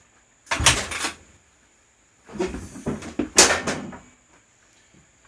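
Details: 2004 Honda CRF250R, hard to start, before valve adjustment, 84% leak-down out of intake: a few kick strokes in two bursts, turns over but never fires; hard starting from low compression, tight valves staying open.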